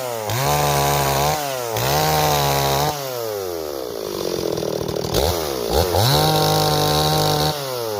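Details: Repaired Stihl 026 two-stroke chainsaw, returned by its owner as a no-start; crisp repeated rev-ups climb and drop cleanly with no bogging or stumble: pulls strongly and sounds healthy.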